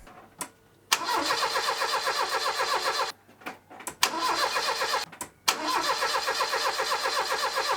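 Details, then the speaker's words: Base-spec three-door Ford Escort Mk3 with a newly fitted Weber carb, fed from a jerry can, first start: a few cranking bursts, then a loud, raspy, spitting idle. The exhaust sounds blown through a holed silencer. "and then I got to S out that exhaust cuz it sounds blown"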